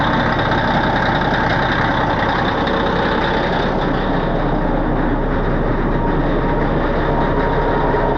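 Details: 637 scraper diesel that had sat too long, running after the repaired switch was reinstalled and while checking oil pressure and leaks: deep, steady rumble with an even beat, no misses or knocks; running normally.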